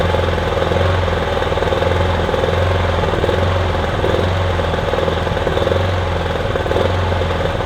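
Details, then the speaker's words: Kipor Sinemaster IG2600 digital generator, stored in a garage for years, after pressurizing to clear a blockage, on choke with starting spray: best run yet but uneven wavering drone, never settling into a clean note; running rough. "It's the bestest run yet. It's not exactly smooth, is it? But it's running at least."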